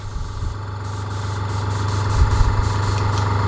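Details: Fengda FD-186 budget airbrush compressor, pressure dialed down to 25, mic facing the compressor. A steady low hum with a fast, even pulse and no knocks or rattles; running normally.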